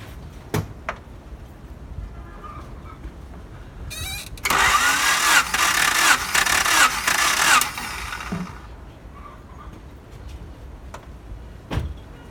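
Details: 1992 Honda Accord CB7, cylinder 3 dry compression test, ignition disconnected, cranked about four revolutions: about three seconds of steady, even cranking, roughly three and a half beats a second, no lagging strokes; value nearly the same as other cylinders, compression even.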